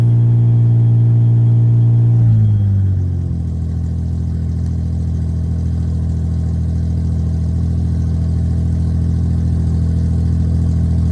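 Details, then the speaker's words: 1990 Ford Thunderbird Super Coupe, factory supercharged, revived after sitting dead about three years; engine drops from fast idle to a steady but still elevated idle and keeps revving high; cause unknown, owner mentions a brake booster vacuum item. "but it still revs, but it runs, drives, does everything. I just need to take it to the local Ford dealership here and have them see if they can figure out what it is."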